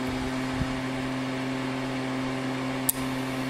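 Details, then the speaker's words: Altec Lansing 2200 Mainframe power amplifier, card with mismatched SK transistors: constant background hiss and low hum with no signal, sounding like a rubbing voice coil on a Community R-Series speaker; noisy channel, cause unconfirmed. "we get the background hiss you'll hear this noise sound like a rubbing voice coil okay turned up the trouble you can hear that definitely now with nothing happening here the hiss is constant"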